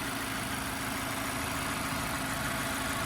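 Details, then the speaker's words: 2016 Mazda 6 2.5L four-cylinder with automatic, auction rebuild before repairs, driven 100 miles, hood open: steady, even idle with no knocks, ticks, misses or vibrations; the engine runs smoothly and sounds healthy. "Nice and smooth running engine, no odd noises or vibrations."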